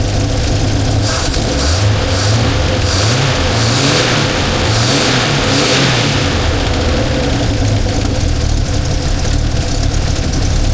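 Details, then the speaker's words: 1977 Holden HX after carburetor work, with vacuum advance checked and working and the throttle cable not yet connected: the engine picks up cleanly on throttle blips and drops back to a steady idle without hesitation or popping. Idle may need adjusting. "Well, that seems to be running better."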